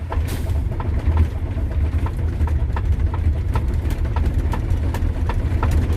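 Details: Friend's semi truck cold-started at 4 degrees after its door was frozen shut. Slow, heavy cranking at about three thumps per second, labouring in the cold, struggles to catch before firing on a second attempt.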